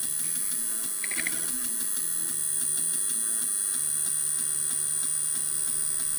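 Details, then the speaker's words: MiSTeryNano FPGA Atari ST/STE core on a Tang Nano board: a harsh high buzz and whine sit over sampled sound throughout, a distorted audio output; regular AY chip music plays without the buzz. "Can you hear that buzz? It's bad, isn't it? It does it on a few things, usually where there's sampled sound."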